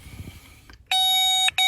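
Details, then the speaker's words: Nissan Primera immobiliser no-start (P1610/P1612): two sharp high tester beeps on the yellow-green wire, showing continuity to ground. The feed circuit is shorted, which burned the fuse. "لقي عم شرقت، في كونتاك واصل لهون كورشلوس."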